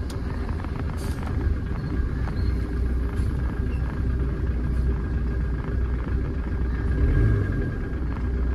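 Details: Tata Indica diesel after EGR valve fault addressed and idle adjusted, AC switched on: steady, even low rumble with no misses or knocks; idle holds smoothly under AC load. Injectors and fuel pump noted as weak.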